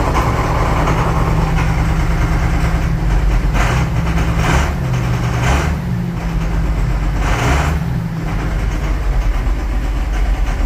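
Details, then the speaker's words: Farm Gator idling after oil and air filter service; it idles steadily with an irregular sharp knock every second or two. Intermittent engine knock, which continues after the service; cause unclear. "Well, the knocking definitely hasn't stopped."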